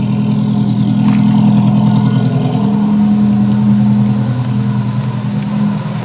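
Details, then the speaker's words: Subaru SOHC EJ257 hybrid rebuild (low-mileage STi block, new pistons) at idle, first run after a custom stainless up-pipe install, no upstream O2 sensor so running rich: steady, even smooth hum, no tapping, knocking or piston noise; healthy. "Motor sounds perfect. No piston noise whatsoever."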